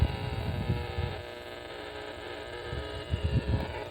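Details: Power-line RFI hunted near a park on AM radio and 40 m receivers: harsh, steady buzz with a stack of even tones and low surging bursts. Arcing was traced to a power pole with a bad lightning arrester.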